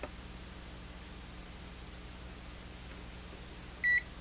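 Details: Zotek ZT-703S handheld oscilloscope multimeter powering on, booting into its default mode almost instantly. A single short, clean high beep over quiet room hum; normal power-on beep.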